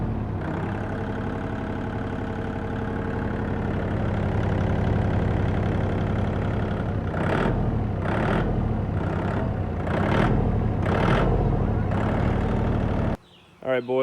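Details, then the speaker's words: Kubota L2650 1.4-litre three-cylinder diesel tractor starting after the stuck injection pump shaft was freed through the access port without removal, throttle kind of stuck; even, regular chug, a healthy idle. "have success got this moving free and when i first had it freed up moving it back and forth through that access port um i got it to start"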